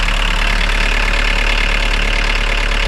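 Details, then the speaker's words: 1980s VW MK1 Rabbit pickup diesel, started after the fuel injection pump was resealed, heard from inside the cab with the door closed: smooth, even diesel clatter with a steady low drone, nothing shaking or rattling, very quiet; normal idle. "Nothing's shaking. Nothing rattling. and close the door. This sounds super quiet."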